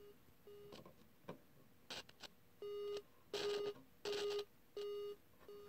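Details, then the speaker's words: Sequential Circuits Pro-One synth playing a repeating note, with bursts of crackle and hiss as an uncleaned, dirty potentiometer is turned, before cleaning. "so I know this is a problem pot right now I haven't cleaned this yet so if I turn this hear that sound"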